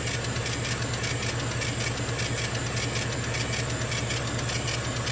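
Steady low motor hum with a rhythmic hiss above it, an air compressor running normally during cutting.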